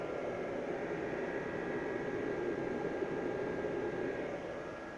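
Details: Portable power station with a 500 W inverter running under load, battery already down to 85%: a soft, steady whir with a faint thin tone that holds even. Normal cooling fan running.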